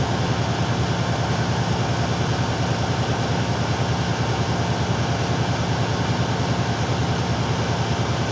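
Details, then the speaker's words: Truck air brake test, engine held at fast idle (~1200 rpm) filling air tanks: steady diesel drone, even pulse; governor cuts out normally around 127 psi, within the 140 psi maximum. "all right it cut out around 127 psi good test go ahead and release the accelerator"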